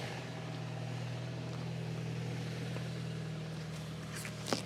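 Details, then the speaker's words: Saab bought from Facebook Marketplace, revved: smooth, even low drone with no knock or rattle; sounds all right, though the owner notes a very quiet repetitive knock at idle. "Oh. What does it sound like? Sounds all right."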